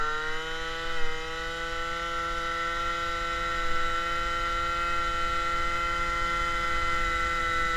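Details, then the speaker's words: MBK 51 moped, Malossi G2 50cc two-stroke, Dellorto PHBG 19 carburetor, air filter replaced by a Ø60 velocity stack: buzzy steady high pitch with harsh, loud intake rasp. Louder without the filter; still lean despite jet five points larger. "Bon, rouler sans filtre, ça fait quoi? Alors, déjà, ça fait plus de bruit. On l'entend bien sur les vidéos. Ça fait déjà plus de bruit."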